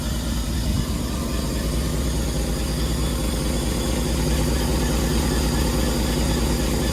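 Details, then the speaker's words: 1961 Rolls-Royce Silver Cloud idling after its distributor was replaced with a refurbished spare: a low even rumble holding a steady idle, very smooth, with an exhaust manifold leak puffing underneath. "Okay, we got it back together and running. You can hear there's a leak in the exhaust manifold, but overall, it really seems like it's running very smoothly."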